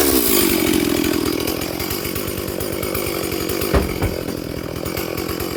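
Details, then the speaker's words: Stihl 440/460 hybrid chainsaw held at full throttle on its first tank since a rebuild, rings bedding in. It burbles unevenly instead of screaming clean, four-stroking from a quite rich carb left unadjusted during running-in. "So it is quite rich. It is 4-stroking on full throttle, but it's running in for this first tank of fuel."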